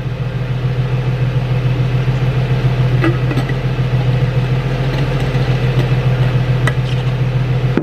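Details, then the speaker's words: Nissan 350Z idling after valve cover gasket replacement, some smoke still from one side: smooth steady hum with an even beat and a few faint clicks; no knock or misfire. "Doesn't sound like anything's knocking, doesn't sound like anything's misfiring."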